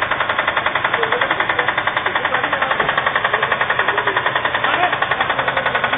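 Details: Subaru Impreza "blob eye" with EJ20 engine: rapid, steady metallic knock over the running petrol engine; engine needs replacement.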